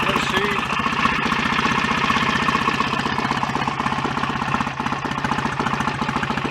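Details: BSA A65 twin after engine rebuild, running after ignition advanced somewhat: steady but flat, lazy thumping about four beats a second; timing still too retarded and needs more advance before strobing.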